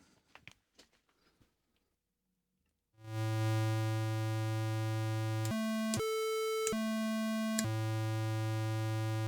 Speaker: Okay, that sounds good.